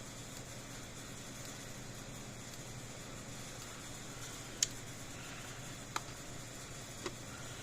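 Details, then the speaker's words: About 35-year-old Blitzer 8555A solid-state fence charger, apparently worked on before: only a few faint, irregular snaps instead of a steady tick, firing intermittently; suspected internal transformer connection problem, not confirmed. "fire's good one time i think we got some kind of problem with the transformer a connection issue inside this"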